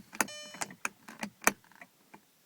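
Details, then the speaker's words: 2001 Audi TT MK1, key on, power window switch pressed: the glass stays put and only a handful of faint, irregular clicks come from inside the door; jammed power window regulator. "I can actually hear a little clicking back in the the main part of the door when I do that but that's all that happens the window um doesn't move"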